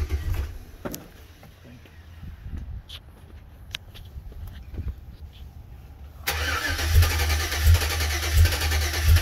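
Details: 2007 Chevy Avalanche 5.3L, ECM replaced, codes P0123, P0223, P0315, P0633, U0214: steady rhythmic cranking, about 1.5 turns a second, never starts; owner suspects the anti-theft module or a cheap key.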